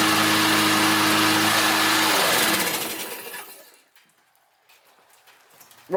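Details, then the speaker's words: Restored Briggs & Stratton 190 cc flathead mower engine after auto-choke adjustment and repairs, being warmed up: even steady single-cylinder drone with no stumble or knock, then a clean wind-down; running normally, oil change due next. "3120 running good let it warm"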